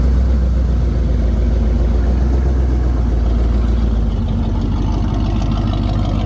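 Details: Chevy 350 V8 square-body 4x4 truck, previously no-start and spraying fuel, after fuel hose replacement: deep, steady idle rumble with no misses, knocks or stumbles; running healthy.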